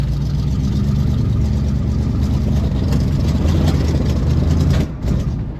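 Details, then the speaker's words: Pontiac Grand LeMans V8, first road drive after years off the road, carburetor not yet tuned: uneven, lumpy note that surges and stumbles as it revs; rough running, which the owner suspects is the carb, then timing. "Okay, I'm going to say this isn't going to go too well. That's how she's going to. I think I've got to sort the carb out first."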